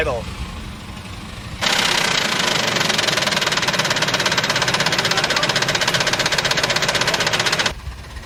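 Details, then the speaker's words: 2006 Ford F-150, 198,000 miles, oil-starved, restarted after water was cranked out with plugs removed: engine fires and settles into fast loud uneven knocking about four per second over rough idle; rod knock, bent rod. "uhoh it definitely has a bent Rod is it pushing stuff out it doesn't sound that great"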